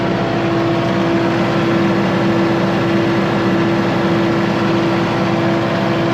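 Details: Kubota MX5100 (MX51) tractor after PTO-not-engaging fix: steady, even diesel drone with constant mid-pitched hum from the driven PTO, no knocks or surging; PTO now engaged and running fine.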